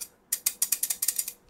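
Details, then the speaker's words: Honda Vario 160 front brake disc after removing its six retaining rings to make it floating, shaken by hand: light metallic clicks at about seven or eight a second; normal free rattle of a floating rotor. "Setelah gue buang ring-ring ini, jadinya floating. Anjay. Dengerin. Gokil."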